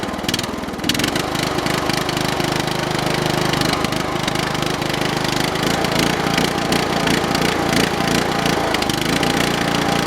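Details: Briggs & Stratton 13 hp OHV single-cylinder on an MTD/White LT300 tractor, started after reassembly, fuel filter swapped for a used snowmobile filter. Rough loping surge; owner suspects water in the carburetor float bowl.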